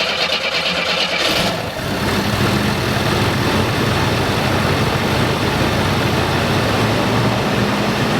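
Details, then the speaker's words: 1987 Oldsmobile Cutlass, long non-running, after fuel filter work with a stuck check valve found: cranks, catches and settles into a quiet, steady idle with no knocks or misfires; normal idle. "There she goes. Runs really quiet."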